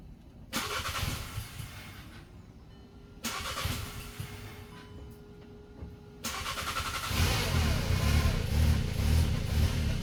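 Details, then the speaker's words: VW Passat 1.8 TSI, used replacement engine of unknown condition just installed: several cranking bursts, then it catches and runs lumpy and uneven with irregular pops, all warning lights on, no knocking; rough running, owner fears timing chain. "So now we know it runs but it doesn't run well and all of the lights are on. At least it's not knocking because that would be a big disaster."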